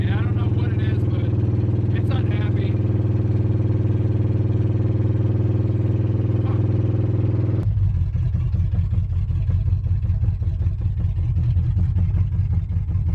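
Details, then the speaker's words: Rebuilt V8 in a truck on test drive: rough idle with uneven knock about four per second, a faint squeak and faint thud seemingly from the rotating assembly; owner suspects bearings built too tight; engine knock and squeak. "you don't hear that like done yeah I don't know what that squeaking is and there's like a faint thud sound that sounds like it's an uh rotating assembly"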